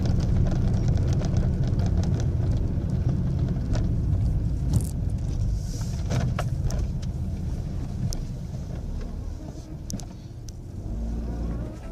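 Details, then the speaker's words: Ford Ka at 3,000 km, recorded in the cabin while driving: heavy road rumble with scattered sharp ticks and rattles over bumps. Loose interior parts are rattling, and engine noise is also loud inside the cabin. "Agora ele realmente tem muito mais barulho de peça solta, vocês vão ver aí, quer ver?"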